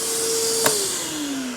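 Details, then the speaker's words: New DeWalt 9-gallon shop vac with "Quiet Technology", advertised 50% quieter: soft, steady mid-pitched whine over a gentle airy hiss, winding down smoothly. Normal running. "now they adverti this as 50% quieter with the new quiet technology and I've got to say that I am really really impressed right out of the gate with how quiet this shopvac is"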